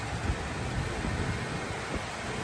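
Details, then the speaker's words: 1975 Chevrolet Caprice convertible with running 350 V8, candidate for a cheap LS swap, idling after a quick start: low, even rumble with steady beat, no knocks or misses; runs like a sewing machine, normal idle. "Yeah, that sucker crank up, man. Run like a sewing machine."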